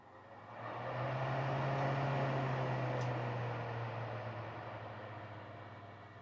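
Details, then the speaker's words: Vintage Sears Kenmore 124.8055 (rebadged Dyna Mimar) fan, motor lubricated, failed speed coil replaced with triac control; minimum speed adjusted to very light breeze; soft steady motor hum with gentle airy rush, no rattle or rubbing; normal low-speed running. "That's about right. Very light breeze. Got a good range of motion."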